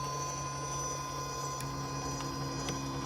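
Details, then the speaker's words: Axial Ryft RC crawler with Castle Mamba X ESC and 2850KV motor on 4S in crawl mode: steady high-pitched whine at low crawl speed over faint hum, normal Castle ESC/motor whine. "right, you can obviously hear the castle whine."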